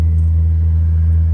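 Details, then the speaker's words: Furnace/air-conditioning blower motor humming since late June, heard at night: steady deep droning hum with no rise or fall; technician diagnosed failing blower motor. "It's the blower motor, and it's humming, and it does make various sounds, all of which are not normal."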